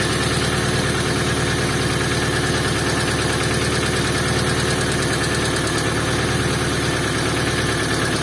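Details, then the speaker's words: Moskvich with an Opel C20XE engine, cold frosty-morning start with a weak battery after disassembling and cleaning the hydraulic lifters: after a brief knock they go quiet, giving a steady, smooth idle; normal idle. "и затихли это уже радует"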